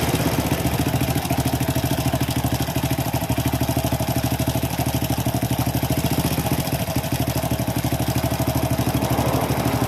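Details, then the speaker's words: Honda Supra X motorcycle with rough engine noise, idling with a fast, light metallic clatter at the left side of the cylinder head; a slack cam chain, its automatic tensioner's check ball having come loose. "Terdengar suara ngeletrek atau ngeclek di area bagian head sebelah kiri, mesin sebelah kiri, Kang Bro. Biasanya untuk motor jenis ini keseringan yang bermasalah itu di bagian rantai keteng yang sudah mulai molor."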